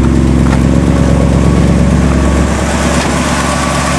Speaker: I'm going to start it up and see if you can hear that lifter chatter and it will quiet down